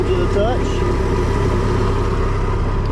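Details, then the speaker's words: MerCruiser engine in a Manta Ray boat after repairs: even, low rumble at steady idle with no knocks or misses; runs well, though the alternator may still need rebuilding or replacing. "I fixed what I wanted to fix went over what I wanted to go over and now this thing sounds good"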